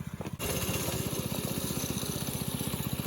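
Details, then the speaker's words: Briggs & Stratton 5.5 hp engine in a NASCAR-style go-kart, first run after a pull cord replacement, driving through the yard: an even, quick popping beat of about four a second with no misses. Normal running under load. "anyway it is exciting to see that the NASCAR is officially running now"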